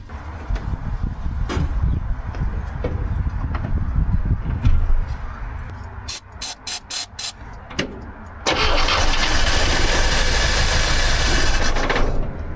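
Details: Old "800" truck starting after the distributor was pulled and moved one tooth closer to #1, then shot with ether: several seconds of slow cranking and a few choppy bursts, then it catches and runs steadily. Normal start, firing properly.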